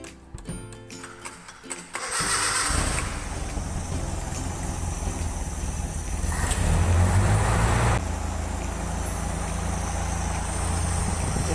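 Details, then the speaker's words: Toyota 5K engine started after a valve clearance adjustment. It cranks, catches in about two seconds and settles into an even idle with no tick-tick from the valvetrain, showing the adjustment succeeded. "tidak ada bunyi tek-tek menandakan bahwa Hai penyetelan kita berhasil"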